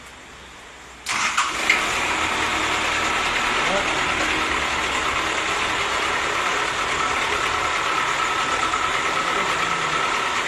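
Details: Diesel that previously would not start, after glow plug heaters tested and one replaced: brief crank catches straight away and settles into an even, steady idle; starts cleanly.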